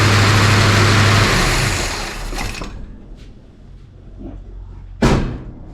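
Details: 1966 Ford Country Sedan FE big-block V8, freshly installed big solid-lifter cam during break-in, timing at 12°, smoke from one side: busy, choppy idle with fast mechanical chatter for a couple of seconds, then shuts off.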